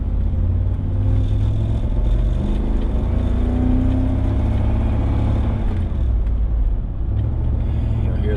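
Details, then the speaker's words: 1999 Chevrolet Tahoe V8 under acceleration with an uneven, stumbling rumble; misfire, not fuel delivery, as fuel filter and fuel pump were just replaced; distributor cap and rotor to be checked. "damn misfire so that is not a fuel filter by the way i just replaced that fuel filter um we replaced that fuel filter we replaced the fuel pump so we're good there that's not the issue it's not a fuel delivery issue it is definitely a misfire"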